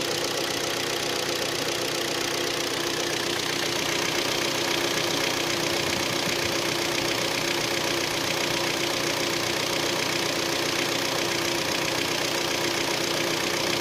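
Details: Hyundai ix35 G4KD engine, 66,000 km, after 12 hours standing outside: constant hard metallic knocking over a busy idle, a couple of beats a second. Piston knock from scoring in cylinders 2, 3 and 4.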